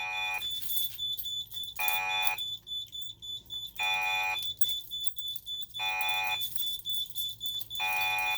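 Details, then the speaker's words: Simplex 3001 alarm panel, fire zone activated: loud siren tone pulsing on and off about every two seconds, voice driver pulsing from the panel's pulsed output. "Well, voice driver is pulsing, obviously, because of the pulsed output of the panel."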